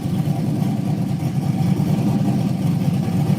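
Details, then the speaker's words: LS-type V8 with 6.0 Texas Speed heads, custom cam and internals, air-to-water setup, ethanol fuel, warmed to about 180°, new 220 amp alternator and redone battery cables: deep, even rumble, no knocks or rattles. Healthy engine running. "but yeah she is looking good you're looking good sounds good yeah she's been happy man"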